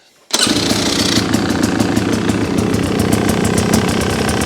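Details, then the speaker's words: New 2026 Beta XTrainer 300 two-stroke, first start-up at the dealer, fuel mixed 100:1; fires and settles into a steady, crackly idle with even beat and no misfires while the oil-line air bubble moves, confirming the oil pump works. "So, I'm going to start it, let it idle, and you're going to see this this air bubble tick toward the inlet there."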